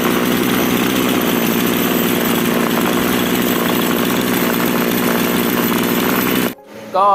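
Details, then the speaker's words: 3800 chainsaw brought in for hard starting, after cleaning, filter wash and clutch refitting: steady, high, even buzz without stumbling, then a clean cut-off; starts and runs well, though the carburetor may still have a slight problem. "ถือว่าติดดีนะครับติดใช้ได้เลยครับ"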